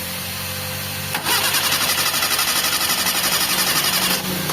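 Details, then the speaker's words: Mitsubishi Lancer 4G13 carbureted engine, hard starting with the fuel filter emptying; cranking with the carb hose pulled into a glass shows fuel coming only in weak, non-continuous spurts. Steady starter churn, no catch; weak fuel pump, replaced with new. "So unti-unti yung turate nung gasolina. Isa pa nga sir. Ayan. So hindi siya continuous mga bossing."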